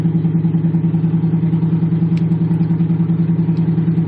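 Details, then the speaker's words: 1977 Monte Carlo, cold start after sitting a day or two, cuts off when revved until fully warm: fast, steady idle thrum about two and a half pulses per second; high cold idle. "Like the idle is really high, and then when I start revving it, you see how it like cuts off? It doesn't sound good at all."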